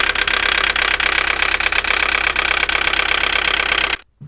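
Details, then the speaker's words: Opel Astra G 1.7 diesel X17DTL at idle: uneven idle with sharp metallic knocks about three a second and misfiring, after earlier injection pump and injector repairs; timing marks fine, mechanic suspects the injection pump. "просто машина работала на холостом ходу и начался непонятный стук и троение пропуски"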